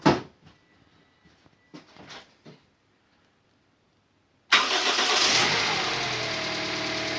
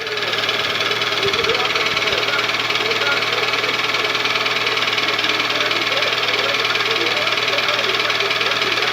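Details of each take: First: Toyota Vitz 2SZ engine previously knocking, first start after repair with fresh coolant and oil, belts and pulleys not yet fitted: short crank, then soft even idle with no knock; normal start and idle. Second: Toyota 2AZ engine, cold start warming up: quick steady knocking nearly four per second through loud engine noise, fading as it warms but still knocking hot; piston slap suspected, Dimexide decarbonizing flush did not help.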